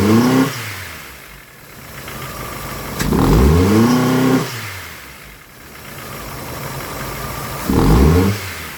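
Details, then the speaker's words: Honda Civic with a bad catalytic converter diagnosed, code just cleared: repeated revs rising and falling to a lumpy, uneven idle; engine struggling, rough running, cause not confirmed. "You can hear it is really struggling to operate."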